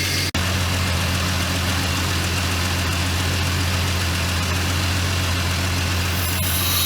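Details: Jeep XJ Cherokee, running after sitting 11 years in a tree line, with the alternator and belt newly refitted and everything turning freely: a steady, even idle with a smooth low hum and no knocks, ticks or squeals. Normal idle; coolant is later seen spewing near the thermostat.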